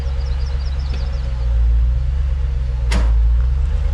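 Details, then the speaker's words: 2010 Dodge Challenger SRT8 5.7L V8 after bolt-on Volant closed-box cold air intake install: deep steady idle rumble with a smooth throttle blip, even running with no misfire or stumble; slight backfire on first start, owner unsure why; normal. "Yeah, sounds good. Seems to be running smooth, so time to get out on the road and give it a test run."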